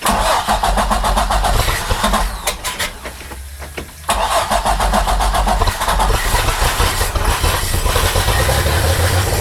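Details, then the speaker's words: 2008 Bayliner 195, 4.3L Vortec V6 MerCruiser Alpha One, first start after winter storage after fuel priming: cranks with uneven coughing pulses and a backfire, stumbles, then catches rough while burning off fogging oil smoke. "oh wow got a bit of a backfire going n there's a little bit more fog that's just fogging oil actually back and smell it so we're going to lean into it a little bit wants to start"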